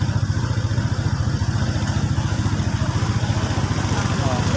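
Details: Honda ADV150 scooter that earlier would not start, now starting: even, quick putter at idle, about three and a half beats a second, steady and healthy.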